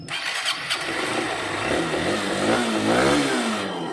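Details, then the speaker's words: One-year-old Honda Unicorn BS6 after new starter one-way clutch fitted, previously clattering on self-start: starter catches cleanly, smooth even idle, no clatter; normal start-up. "देखिए engine का sound जैसे कि सुन रहे होंगे पहले से काफी बकुल यू के जैसा इंजन का साउंड है कोई आवाज नहीं है पहले बहुत खटा टाक आवाज कर रहा था"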